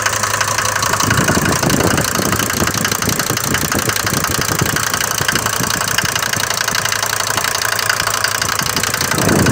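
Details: Mercedes diesel bought used with this noise, recorded cold in the morning: hard, sharp ticking clatter over a steady idle, louder than the normal clatter of these Mercedes diesels; excessive cold-start injection knock, cause suspected, not confirmed.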